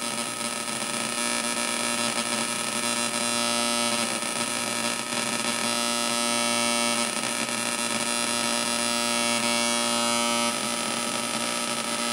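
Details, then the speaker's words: Homebuilt 555 timer Atari Punk Console on 9 V through PC speakers, knob turned up: harsh, raspy wavering buzz instead of one clean tone; cause unconfirmed. "see I'm getting all that weird buzzing noise like you should be getting that when you turn it up to here cuz the pulses are getting pulled apart"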